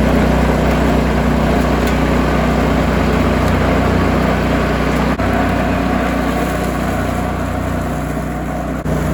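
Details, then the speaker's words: Cub Cadet 2146 lawn tractor, 14 hp single-cylinder Linamar engine, revived after 3 years sitting, idling to get hot before oil change: steady low even chugging, no misses or knocks; normal idle. "We've let the engine idle for a little bit, let it get nice and hot."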